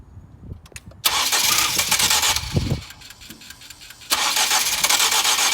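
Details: 2007 Ford Focus petrol in the cold: the starter whirs steadily for a couple of seconds with no catch, stops, then cranks again; extended crank, no start when cold. Owner wonders if the starter is broken, though the car starts all day once it finally runs.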